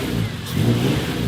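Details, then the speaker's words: Honda Civic with K24 swap, 3-inch flex pipe and 3-to-4-inch exhaust exit, free revving: strong clean rev with full deep exhaust note rising and falling smoothly, no knocks or misses; normal, healthy engine. "oh it sounds so good"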